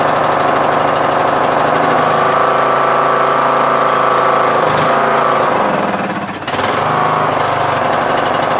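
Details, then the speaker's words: MTD Yard Machines tractor, 20HP Briggs Intek, started on choke with a replacement Nikki carburetor whose mixture screw broke: engine note swells and sags every few seconds, surging lean. "Sometimes it surges, as you guys can see, it surges."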